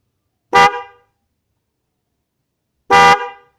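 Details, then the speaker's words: Non-waterproof Denso horn with an open front, test-sounded: two short, steady honks with a bright, clear tone and clean cutoff; the horn sounds healthy. "Kita coba cek suaranya ya satu persatu. Kita mulai dari yang bahan bukan waterproof ya. Ini suaranya."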